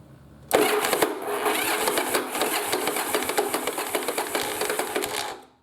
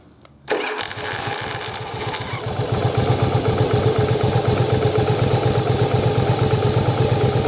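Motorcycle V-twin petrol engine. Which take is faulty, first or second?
first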